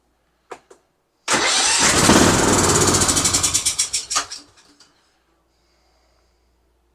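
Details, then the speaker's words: Husqvarna YTH20F42 20hp riding mower, yard-sale find that had been sitting and wouldn't run: clicks, short crank catching into loud rough run that stumbles out after about three seconds, black smoke cloud; excess fuel, likely in intake, hard start after sitting. "it runs we have a runner all right that was a significant Cloud that blew out of there and I don't know if you noticed but it was black that's gas"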